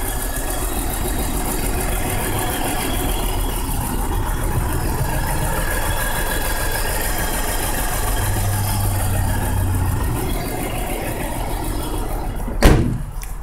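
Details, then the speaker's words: 1999 BMW 528i idling with a low, uneven, lopsided stumbling thump and heavy shaking despite new spark plugs, ignition coils, oil pressure regulator and cleaned idle control valve; codes P0301, P0302, P0303, P0305, P0306 misfires, P0505, P1510; cause still unknown. "so it's still like shaking I don't know if you guys can hear it or not let us shake it pretty good"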